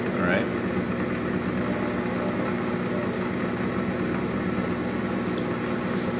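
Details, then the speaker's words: FAV AV2 leather skiver after sharpening, setting up and closing the door, no blade rubbing: steady, even machine hum with no rubbing, catching or chatter; feeding leather nicely and smoothly, running right. "don't here rubbing it's good turn off my stone and be done anymore she's feeding nice and smooth all"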